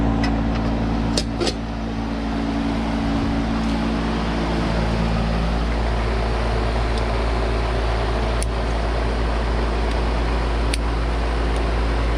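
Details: Carrier AC condenser after rewiring the fan during a no-cooling call, on a roughly 60–62°F day: steady, even compressor hum with smooth fan whoosh, no buzzing or clatter; runs normally, suction line getting cold, pressure maybe a little low.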